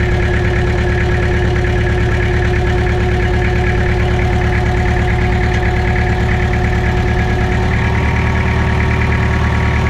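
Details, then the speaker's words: Mitsubishi BD2F dozer diesel revived after two or three years sitting: steady, even chug about three beats a second, no knocks or misses, idling fine on its own power. "just like that folks she's humming along it's two or 3 years it's R it on its own power again sounds good too"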